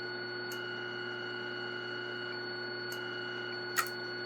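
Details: Homemade ripple control transmitter injecting a 1440 Hz signal over mains power: a steady high pure tone held over low mains hum, with a faint click near the end. The ripple control signal is transmitting normally.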